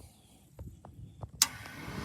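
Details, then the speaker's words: 1950s Fawton Ford tow motor (forklift) powered up after sitting 30–40 years in a museum: a click, then the fan motor whirs up and settles to a steady hum; the fan still works. "Oh, it's a fan. The fan still works."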